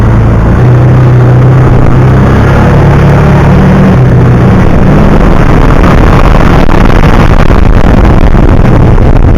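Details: 2009 Kawasaki Teryx 750 fuel-injected, after the fix (nail inserted in center section) for backfiring and power loss when warm: steady, even low rumble with no misses, pops or power drop-outs; runs perfect.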